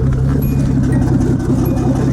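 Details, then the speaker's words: Datsun 280ZX Turbo, about 200,000 miles, warm near 180–195°F: uneven, lumpy idle with dips like a dead cylinder, cutting out then recovering, steam-engine-like; owner believes injectors on cylinders one and five stop working when hot, likely number five. "how it sounds like an old steam [Music] engine so it's cutting out like that it kind I'll go back to normal and it'll kind of go back and forth a little bit"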